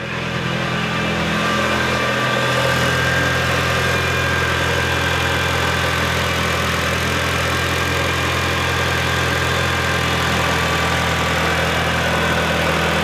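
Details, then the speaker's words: Rebuilt Mitsubishi EVO, cold, around 1,500 rpm, after finding a leak during a hunting-idle check: steady, smoother and quieter exhaust note, no misses; normal idle after repair. "sounding good it's sounding a lot better already a lot smoother"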